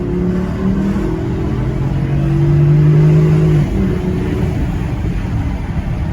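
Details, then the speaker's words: Porsche Cayenne 955 on test drive after replacing prop shaft with fouled guibo, bolts torqued: smooth engine note rising and easing under acceleration, no clunks, whine or vibration; no more noises, driveline healthy. "And there you have it. Once I fitted the prop, no more noises."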